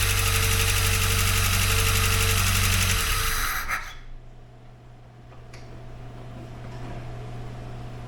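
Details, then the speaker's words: Jeep Wrangler YJ 2.5L used replacement engine, first test fire with no coolant or upper radiator hose fitted: it runs briefly with a regular tick, about three per second, then shuts down, possibly with smoke in the exhaust. Suspected lifter not yet pumped up. "I think I should get some coolant in it and let it run a little bit and see if that lifter clears up"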